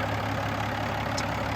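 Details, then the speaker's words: 2007 Peterbilt 386, Caterpillar C13 pre-emission diesel, 13-speed manual, fully hot, below-freezing morning, oil filler cap off: deep steady diesel idle with even low rumble, no knocks or misses; decent blow-by for an old truck. "So, decent blow-by. It's an old truck."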